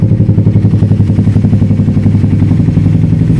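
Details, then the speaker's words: Suzuki GSX-S150 single with aftermarket exhaust and K&N air filter on stock ECU just reset, hard to start at first, idled until warm: even, steady single-cylinder thump with no misses or hunting; warm engine settled into a normal idle. "Papainitin ko lang hanggang sa makapag-idle siya ng maayos na. Yan, so mukhang naka-warm up na yata siya guys. Kanina ko pa ito pinapa-idle."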